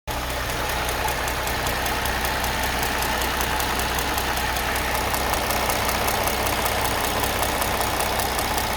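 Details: Mercedes M272 engine with light rapid tapping, roughly two or three a second, over a steady low idle, plus a light squeak, occurring between 700 and 1500 rpm; top-end tap, cause unknown.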